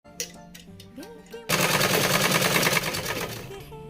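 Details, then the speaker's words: Tailoring/stitching machine: fast, harsh clattering rattle at about three beats per second over background music, loudest from one area that is opened up; thread or debris there is suspected, and the area is cleaned and checked for free rotation. "यह machine की आवाज सबसे ज्यादा इधर से ही आती है।"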